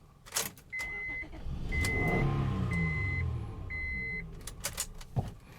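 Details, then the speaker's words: 2003 Honda Odyssey 3.5L with P0305 misfire, cranking with no clear-flood mode: steady, even cranking cadence with no inconsistency and a door chime beeping; compression sounds healthy. "well this one looks like it doesn't have it doesn't have clear flight mode well the engine sounds pretty good"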